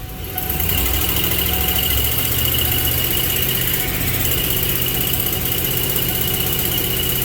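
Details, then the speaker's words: Ford 4.6 V8 under load with a slightly uneven, stumbling rumble: cylinder 4 misfire, improved after swapping a used coil for the faulty new one; replacing the coil and resetting the plug gap resolved it. "y vamos a ver si bajo carga todavía se apaga el cilindro"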